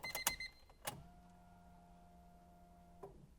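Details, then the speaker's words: Honda Civic with fully built B18 engine, new Deatschwerks fuel pump just plugged in: click, then a steady low electric hum for about two seconds that cuts off cleanly; normal fuel pump priming. "It works! Woohoo! That was perfect."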